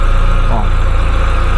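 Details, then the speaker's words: VW Golf 2 1.8T project after a repaired power steering hose that kept coming off: steady, even petrol engine idle with no whine or hum from the power steering pump. "dobra motor pracuje na razie nie słychać żadnych tutaj szumów pompy"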